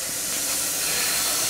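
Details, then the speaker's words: Supra daily driver running lean and losing boost, system pressurised for a leak test: steady loud hiss of escaping air, no knocks; air leak in several places, PCV valve suspected of pressurising the crankcase, source unconfirmed. "Sounds like a lot of stuff over here is leaking."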